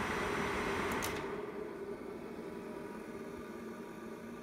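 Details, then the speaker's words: Failed 3-year-old dehumidifier converted into a compressor and refrigerant experiment with a high-start-torque compressor, in a 62°F basement. Soft steady hiss and gurgle of refrigerant boiling normally in the evaporator while running, drawing 3.6 A, about 390 W. "hear the refrigerant boiling now the nice thing about a high start torque compressor you can shut it off and on as much as you want with the start cap and the start relay you don't have to wait for the system to equalize"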